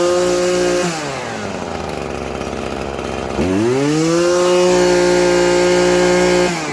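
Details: Maruyama trimmer with a no-start complaint, after replacing the detached fuel line, fuel filter, spark plug and starter cord: engine runs steady at high revs, drops to a clean idle, picks up smoothly; running healthy.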